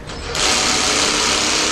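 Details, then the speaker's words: Ryobi combi drill driving a screw into timber with the torque set low. It starts quietly, then gives a sudden fast, buzzy ratcheting as the torque clutch slips once the screw is flush: normal operation. "in this case just about a millimeter before it stops again turn it up a little bit more and it will drive it a little bit more"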